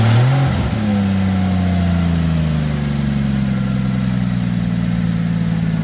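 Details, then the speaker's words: 2007 Ford Edge SEL AWD 3.5L after replacing the cylinder 6 fuel injector (open/short circuit code), which had caused a rough idle, misfire and flashing check engine light. It revs up cleanly and settles into an even hum with no misfire: normal revving. "I just put my hands on each one of the electrical connectors and I could feel the pulsing of the injector, so I know it's working. It definitely sounds like it's running smooth as well."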